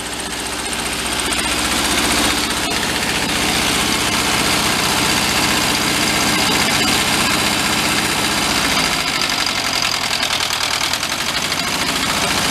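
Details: 1973 Karmann Ghia barn find, air-cooled, just revived, rpm held steady: loud busy idle with a fast tapping knock. Hand-spun, it clanks about twice per rotation. Cause unconfirmed.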